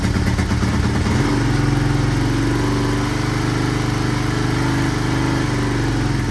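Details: 1983 Honda XR200R single-cylinder after top-end rebuild and engine overhaul, first start, still cold on half choke: steady low even thump, no rattle or cam chain slap; cam chain adjustment to be checked once warm; normal idle.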